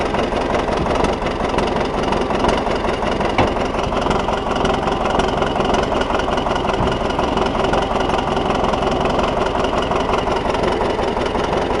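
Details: T-170 tractor without cab, start after repair: deep steady diesel rumble with even beat around two per second, no knocks or misses, clean settled idle.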